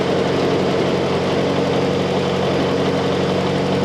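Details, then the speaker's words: M151 jeep engine after carburetor idle fix, choke about three-quarters on: even, steady idle with a constant low pulse, no hunting or stumbling, now sounding much better. "hmm that sounds a whole lot better"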